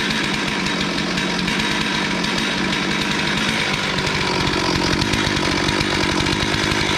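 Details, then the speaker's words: Stihl MS440 with 24-inch bar, after high-end power loss and bogging, fixing a ring issue, setting 0.022 in squish and leaning the carb slightly: holds a strong, even high rev with no surging or bogging; running healthy. "I'm happy. Works good. Love it. A lot better than it did before."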